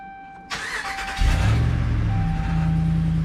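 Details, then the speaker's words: 2009 Ram 1500 starting after the battery was reconnected during an A/C control module install, Marvel Mystery Oil in use: starter cranks briefly, engine catches cleanly and settles into a smooth, even idle with no knocks or rattles. Normal start and idle. "sounds pretty smooth"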